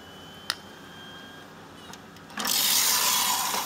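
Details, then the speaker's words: Custom-built Pentium 1 PC running Windows 95, CD-ROM drive trying to read a disc: a few light seek clicks, then loud hissing whirr as the disc spins up hard, then it ejects; drive failing to read disc. "yeah it just ejects the thing spinning now if it'll wait that's not gonna wait okay so this cd-rom drive is a piece of crap"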